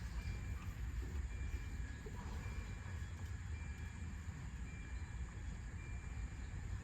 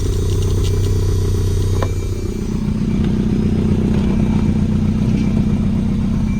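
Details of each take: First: 1992 Volvo 940 wagon, long sat in woods, hotwired: starter cranks the engine at an even pace but it never fires; injector pulse seems present, but no fuel is reaching it. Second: 1992 Volvo 940 wagon running, airbox off: deep, steady, even rumble at about four pulses a second with no knocks. It idles smoothly with no major leaks.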